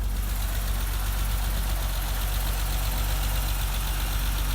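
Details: 1988 BMW 325 sedan six-cylinder, cold start after sitting overnight, parking brake checked: even steady idle with smooth low pulse, no knocks or misses; healthy cold idle.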